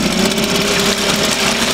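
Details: Suzuki DT 2.2 two-horsepower two-stroke outboard in a test barrel of water, first start after winter storage, idling on choke while warming up; steady even buzzing, sounds healthy.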